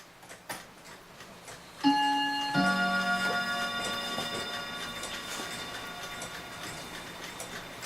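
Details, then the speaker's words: Dutch Friesian tail wall clock, which stops intermittently from a worn bushing: clean gong strikes for 1:00 and 2:00, each clear and full with a long ringing decay. Normal hour strike. "so we got 1:00 that's boring here's 2:00"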